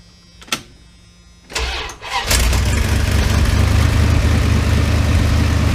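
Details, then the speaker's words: 1988 Dodge B350 fleet van, drivetrain donor for a 1984 D150, rusty but running: after a short crank the engine catches and settles into a steady, even low idle with no knocks or misses; normal idle. "so runs good sounds good just rusty be 350 you can hear it just sounds great"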